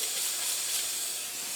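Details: Rebuilt 200 TDI engine with front cover off, pressure-tested to about 8–9 on the gauge: steady high sharp hiss with no rhythm, air escaping at the end cover, leak confirmed with soapy water.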